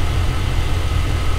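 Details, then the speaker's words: 2000 Chevrolet Tahoe 5.3 LS V8, earlier misfiring on cylinders 7 and 8, just after new spark plugs and plug wires, started: low steady even idle with no skips; no current misfires, running smooth. "oh she sounds good let's see sounds pretty good so far"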